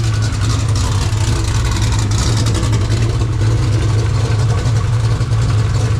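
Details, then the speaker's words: 2000 hp turbocharged Ford Mod Motor V8 race engine, warm-up start toward 140 degrees: strong, even low rumble with steady firing beat and no knocks or ticks; normal idle. "Oh, she starts, Josh. Yeah, boy. Sounds good too."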